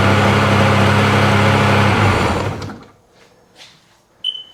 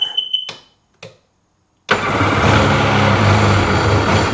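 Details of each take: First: Steady two-stroke drone for about two seconds before it shuts down on a 2005 Sea-Doo 3D 787 RFI that had sunk; it now runs after a wiggle test disturbed a suspected bad connection, a reading jumping from 3 to 6 (should be 14). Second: 2005 Sea-Doo 3D 787 RFI that had sunk: beeps, starter burst, fires then sags into a low labouring idle and drops right down, won't stay running; owner suspects MAP sensor reading or bad connection, cause unconfirmed.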